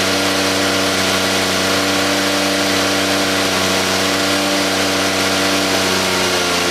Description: First start after a rebuild on a 2JZGTE engine in an SC300.